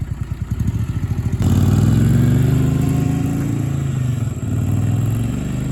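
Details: Barn-find Honda SilverWing GL500 that sat outdoors for decades, revived and cleaned up with a new key and valve stem: it cranks with rapid even pulses, catches, and settles into a steady mid-pitched twin running smoothly. Normal running.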